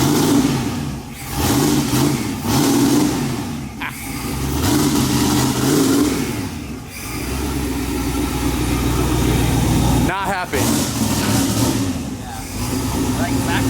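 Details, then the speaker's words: Mazda RX-7 rotary revving hard with uneven, ragged pops and cracks under throttle; backfiring, cause unknown, suspected tune set for Colorado, plugged injectors or old fuel. "you couldn't hear it backfiring all hard oh i could hear it i don't know what it is"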